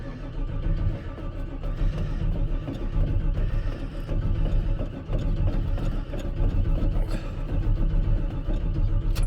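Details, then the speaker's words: 1985 NZ-new Chevrolet Squarebody V8 truck, sat for a long while, on jumper leads: long steady starter churn with no catch or firing; extended cranking, no start, owner suspects petrol must first be drawn from the rear tank. "so it'll take a little bit of cranking because of course you got to draw the petrol from the back the car so that's going to be your first issue"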